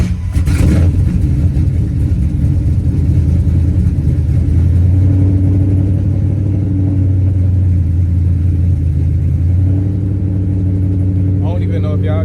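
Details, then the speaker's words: Ford Crown Victoria at idle with the exhaust hanging off after its front flange bolts broke: steady deep rumble with a coarse, raspy edge, loud and shaking underfoot; exhaust leak. "tell the difference but like the exhaust is right under my feet iall can feel it shaking like look at this look out the camera shake"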